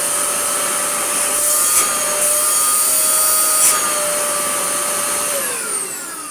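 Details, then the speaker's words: Used Dyson DC41 upright vacuum: steady, piercing whine with harsh overtones that sags in pitch as the motor winds down; motor whine, with motor bearings believed worn out. "And I think the motor bearings are just knackered. To be completely honest with you, it probably would run okay like that forever, but I don't want to sell things that have issues like that."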